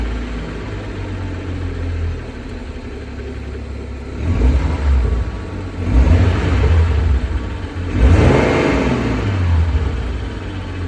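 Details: BMW N55 petrol engine at operating temperature (oil 110-115°C), in neutral: idles and is revved several times, a light clicking like a card against a bike spoke after each rev as revs fall; cause unknown.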